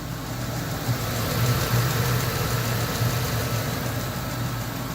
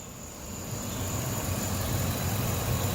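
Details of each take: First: Ford F250 5.4 Triton V8, about 222,000 miles, idling: light, steady tick over the low rumble that started a few days ago, loudest from inside the passenger-side fender; owner first suspected a roller follower or lifter, traced to a loose spark plug. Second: Ford F250 5.4 Triton V8 at idle after repair with new spark plugs and new passenger-side lifters: steady, even low rumble, no more ticking or knocking previously heard by the passenger fender.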